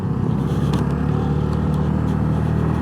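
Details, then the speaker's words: Honda NAVI (NVA110B) small single ridden cold and partially choked: a steady low strained drone that never builds revs, with no power. The owner suspects the carburetor needs re-jetting, as it won't run on or off choke when cold. "See, I've got it partially choked and there's just no power. I gotta get this thing rejetted. Won't run on choke, doesn't want to run off choke when it's cold."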